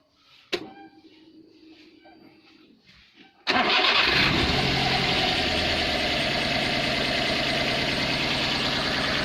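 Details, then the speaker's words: Daihatsu Gran Max 1300: the starter cranks and the engine settles into a lumpy, shaky, uneven idle like a missing cylinder, with power loss. Cause unclear. "Grand Max pincang nggak terlalu terlihat, cuman mesin ya terasa goyang. Ini mesin goyang, tenaga nggak keluar, powernya nggak keluar."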